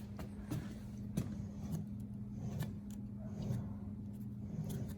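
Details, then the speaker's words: Original rear axle from a square-body truck, right side turned: quiet low rough rumble with faint hum and dull ticks about every half second; worn wheel bearing, rest sounds okay; whole rear end swapped. "This will be the right side of the truck, and you can hear the bearing is gone. Everything else seems to sound okay. Maybe a little more noise than usual, but"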